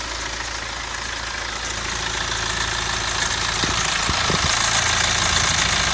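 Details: BMW 116d N47 diesel at idle: fast, even metallic rattle about three to four times a second over the diesel clatter; possibly the timing chain, unconfirmed.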